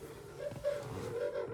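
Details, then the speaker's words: Nissan 350Z left parked for scrap, key on, engine off, after connecting power distribution module: a loud, steady high whine holding near one pitch from the rear; owner suspects the fuel pump is shot or the tank is empty. "It's very loud. Sounds like R2-D2 is dying in the back. So either our fuel pump shot or it just ain't got no gas in it."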